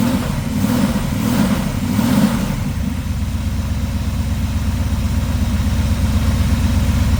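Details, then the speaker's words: 1979 Trans Am after tune-up, started with bad gas and old ignition parts: short rev blip then steady even idle thumping about four beats a second; fired solidly, runs smooth and healthy. "Oh, she's running. How solid that first thing popped up there, too. That's Oh, that's perfect. Sounds like a top."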